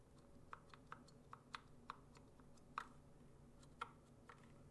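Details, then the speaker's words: Glorious Panda switches in a RamaWorks Koyu case: irregular sharp key clicks about one a second with a thin metallic ping, worse pressed off-centre; switch spring ticking, possibly not enough lube. "But there's a ticking. Do you guys hear that tick?"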